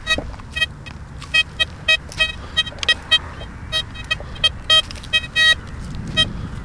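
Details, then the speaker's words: Blisstool v3 metal detector on a ploughed field with the gain increased to over-amplify the ground: sharp irregular spitting, crackles and chirps over hiss, a noisier chattering response; beginners are advised not to over-amplify. "can you hear the difference in this machine now? It's a little bit noisier now. Okay, because I've amplified that ground some more, so it's just doing what I've asked it to do."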